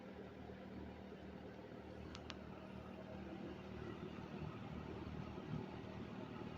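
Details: 1974 Kmart K-223 20-inch box fan, McMillan motor, unrestored, apparently well oiled, fitted with a four-wing Lasko blade, on low speed: soft steady low hum, even airy rush, no rattle or ticking; normal running.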